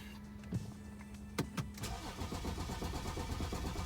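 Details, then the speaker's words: BMW 530d after broken timing chain repair, rebuilt with new timing kit, cylinder head, head gasket and rockers, first start-up, ignition kept switching off: starter churns unevenly for several seconds without firing before it finally starts; long cranking. "Oh, it's trying. Lots of trying."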